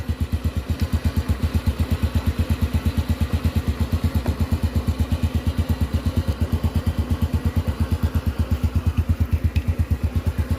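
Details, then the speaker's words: Engine after a top-end rebuild (pistons, rings, valves) that stayed noisy: the timing chain and sprockets were found worn and stretched, the chain tensioner was fitted and the valves adjusted. Now an even, quiet idle with only exhaust sound, like new. "เสียงเหมือนรถใหม่เลยครับเงียบกริบดังเฉพาะท่อไอเสียเท่านั้น"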